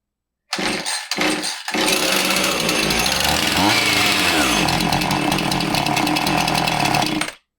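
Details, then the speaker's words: Husqvarna 450 chainsaw, 120 psi compression, spark present, primer normal: buzzes hard at high revs, then the pitch sags and recovers, stumbling under throttle; the customer's bog is reproduced, cause undetermined. "Yeah, that's not so good, is it? It just kind"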